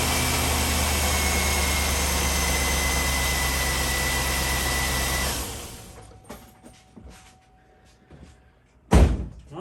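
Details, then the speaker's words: Chevrolet Tahoe with a P0300 misfire code, run briefly after swapping coil packs on one side, spark plug wires still off: a steady, even drone for about five seconds with no stumble, then shutoff; that side runs smooth. "right that ran smooth now let's do the other side"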